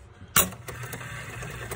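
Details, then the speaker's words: 1973 Bally Nip It pinball machine motor after a broken bushing fix (spring added, bushing lubricated and fine-sanded): a click at switch-on, then a steady low hum with no grinding; motor running normally. "And as you can see, it works. So all I did was add a spring."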